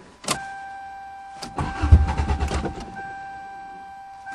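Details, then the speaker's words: 2009 Toyota cold start, starter known to stick: short cranking bursts that never catch, warning chimes between tries, no fuel pump hum heard; cranks no start, owner suspects stuck fuel pump. "I can't hear the fuel pump probably is a stuck fuel [Music] pump yeah I bet"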